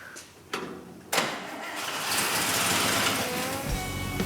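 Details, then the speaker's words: 1949 International truck being built into a custom roll-off rig, first start after fixing a vacuum leak: short crank, then a steady, even, hands-off idle that sounds tight and healthy. "sure enough man it sounds tight really good the whole problem was that vacuum leak you can hear how it's like hands off it idles totally good started right up"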